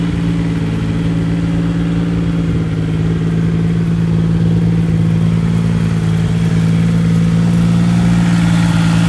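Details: Triumph Rocket III motorcycle: deep idle that lopes and wavers instead of holding steady, caused by a faulty throttle position sensor, solved with a new TPS and recalibration using TuneBoy.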